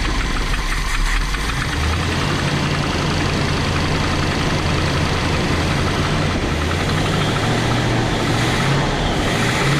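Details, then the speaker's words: Big-block Chevy in a motorhome running properly after fuel delivery was restored; deep, steady rumble holding an even idle without stumbling. "Oh, that sounds better. There we go. Oh, that sounds way better. Oh yeah. Ooh, I think it might run."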